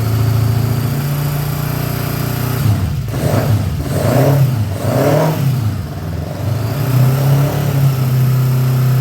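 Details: 1979 Honda GL1000 Goldwing, first start after carburetor rebuild, no choke: low, lumpy idle that surges and sags through blips and never settles, smoking from one side. Owner suspects carbon buildup or bad seals fouling plugs; not confirmed.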